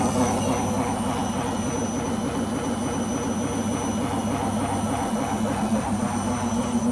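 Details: Beko washing machine during the spin cycle: a loud, steady roar like a vehicle rumbling, with a faint rhythmic churn; the owner suspects the rubber behind the drum, cause unconfirmed.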